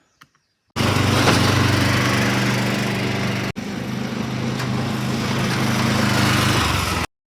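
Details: Huskie Haul Master UTV's small single-cylinder engine at first start after a powertrain rebuild with aftermarket parts and a new primary drive: it catches and runs a steady, even chug with a brief dip midway, then shuts off cleanly.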